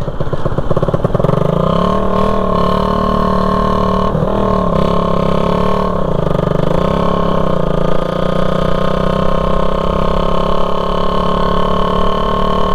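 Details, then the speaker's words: Raider 150 single-cylinder motorcycle cruising at even speed on a four-lane highway with its muffler detached; steady, very loud blaring drone from the open exhaust connection. "Nagtataka po yung mga tao kung bakit ang ingay-ingay ng tambutso. Tambutso yung ingay kundi sa connection mismo."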